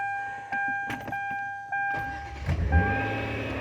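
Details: Kia Sorento after ignition switch replacement; a steady dash chime, then a brief crank and the engine catches quickly into a smooth idle: normal crank and start after switch replacement.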